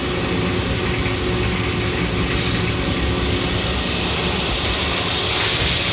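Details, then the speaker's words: Rebuilt Kelly Duplex 3-ton horizontal paddle mixer, heard at the observation window with paddles turning: steady even churning with a rhythmic mechanical rattle of the paddles, no scraping or knocking; running normally. "This unit hums right along. There are no irregular noises. There's no scraping or anything."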